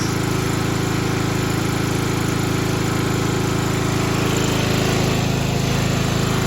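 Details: 1995 Craftsman LT4000 lawn tractor, single-cylinder engine, after sump gasket replacement, throttle picked up: steady thumping at a fast even beat with a light buzzy rattle on top. Engine vibration shaking a loose panel by the hood; engine running nice.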